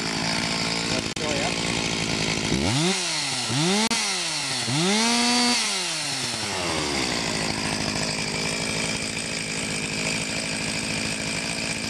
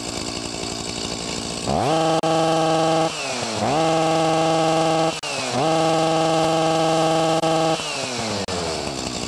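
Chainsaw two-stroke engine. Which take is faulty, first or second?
second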